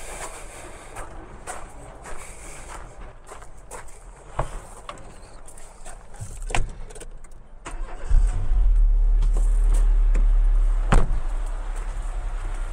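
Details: 2004 Renault Twingo Kiss Cool with D7F engine, donor car, block clean, AC compressor removed: after handling noise it fires and settles into a steady, even idle with no knocks or misfires; runs like clockwork.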